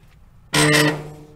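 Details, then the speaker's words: Dryer motor before lubrication, door shut: a sharp clunk on start, then a loud strained low hum from a tired motor with dry felt bushings. The fix is lubing the bushings under the bearing caps. "Hear that loud noise? That's sound of a tired motor. And we're going to try and bring it back to life with a little bit of lube on that felt bushing area."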